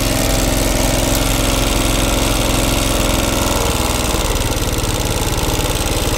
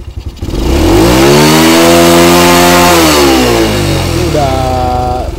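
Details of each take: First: Honda Grand motorcycle before repair, losing power and refusing to rev at full throttle, topping out around 30–40 km/h with noisy running. An uneven, loping, rough and breathless beat about three per second from a worn camshaft lobe and rockers. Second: Honda Grand motorcycle after repair (camshaft and regulator replacement tagged) for power loss, with top speed stuck at 30–40 and headlight bulbs blowing. It now revs cleanly to high rpm without stumbling, though slight cam chain noise remains.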